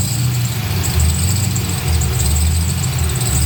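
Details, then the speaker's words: Nissan 280Z with LS engine swap, warmed to 135-degree coolant temp, at idle: steady high squeal over a rough low idle, much louder with the A/C on; slipping accessory belt, cause not yet found. "here the squealing now when i turn the ac on it squeals a lot"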